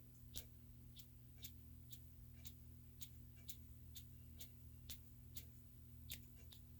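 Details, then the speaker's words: Hammond organ Leslie upper rotor idle arm: low hum with a sharp tick about twice a second as rotor turns; rough, noisy idle arm bearing despite oiling, cleaning and lubrication; next trying a Corrosion-X soak. "Canfield I Hammond doc they have a lazy upper rotor idle or idle arm as I call them that I've oiled cleaned lubricated but still a little noisy listen listen"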